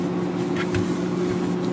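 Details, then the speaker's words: GE 18 cu ft refrigerator, bought about 2011, after evaporator fan motor replacement, drawing about 0.83 A / 98 W at 120 V while pulling down: smooth steady low hum, no rattle or bearing squeal; running normally. "this is a real efficient unit so it's not making all the weird noises"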